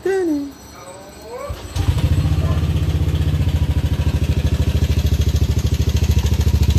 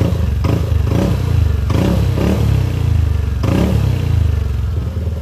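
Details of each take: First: Yamaha Aerox scooter before repair, failed timing chain tensioner (earlier repaired wrongly elsewhere): at idle a quick, even clatter about three beats a second over the engine; timing chain rattle. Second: Yamaha Aerox scooter after repair of failed timing chain tensioner: revs blipped, note rises and falls smoothly with no ticking or chain rattle, engine now quiet; normal engine revving.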